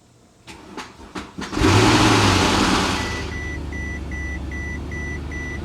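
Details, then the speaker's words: Mercedes S63 AMG after A/C compressor and condenser install, first start after weeks sitting, on a borrowed battery: four slow cranks, then a loud rough flare settling to idle under a steady chime; alarming rough start, cause not confirmed. "whoa i did not like the sound of that at all holy shite"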